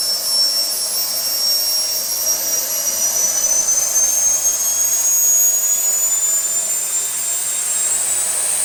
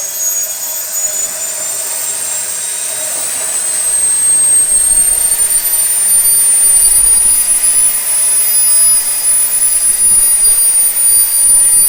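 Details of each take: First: SWIWIN SW220B micro turbine, first raw factory-setting startup on test stand at about -24°C (-10°F): thin high whine climbs slowly while spooling up, hanging on the fuel ramp; fuel restricted because the tank vent plug was left in. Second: SWIWIN SW220B micro turbine on a test stand, test run three: clean high whine climbing steadily over 3.5 s, then holding even pitch at the 110,000 rpm max with no surging, about 45.5 lb thrust; normal turbine run.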